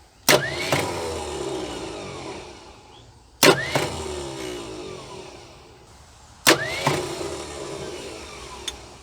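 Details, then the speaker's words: 1976 Ford F150 abandoned 30+ years, start tries with gasoline in carb: three short clunks then brief dying whirs; starter failing, owner wonders about a bad spot in flex plate or flywheel, starter to be pulled. "well this is aggravating yes sir I just wonder if it's a bad spot in that flex plate or flywheel that's why this sucker was parked very well could be well it's quite obvious that starter is not going to work"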